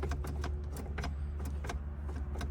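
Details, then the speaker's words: Flood-damaged 2004 Cadillac DTS Coach Builders convertible, key turned: light irregular relay clicks over a low hum with no cranking although the starter bench-tested good; owner suspects the BCM or another module blocking the start signal. "I hear a relay clicking. Let me check a few things. We'll try again. I'm starting to think that maybe something electronic, could be the BCM, could be some other sort of module that's preventing this thing from receiving signal at the starter to go ahead and crank the motor over."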